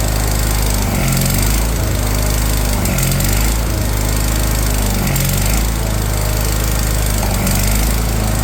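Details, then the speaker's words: Wheel Horse 416 Hydro, 16 hp, first start after sitting outside two years, with new fuel filter and choke: loud, steady, even drone with no misses or surging. Owner suspects the cylinder had been full of water. "and there she go she started up"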